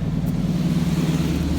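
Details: 1981 Ford F-250 bullnose truck bought at a junk auction after sitting, battery doubtful, first run on the trailer; deep, even V8 idle rumble with a steady low hum and no knocks or misses, sounds incredibly good.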